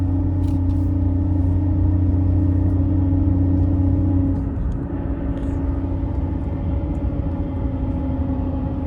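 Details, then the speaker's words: 2018 Ford F-150 Raptor at 40k miles, heard in cab while cruising, rear window open then closed: steady low droning hum from the rear shifting with road speed; owner suspects rear differential after tire swap, cause unconfirmed. "Concerning my noise, I have the rear window open and you might hear a nice little hum coming from the back. I can even close the rear window and you can still hear it quite a bit in the"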